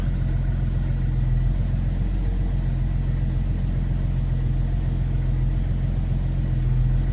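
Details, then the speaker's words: 1990 Jeep Cherokee XJ, cold, after fuel pump diagnosis and lambda sensor relay reconnected: steady, even low idle with a smooth rumble, no knocks, misses or vibration; running cleanly, lambda rising as it warms. "Voilà. Ça vibre pas."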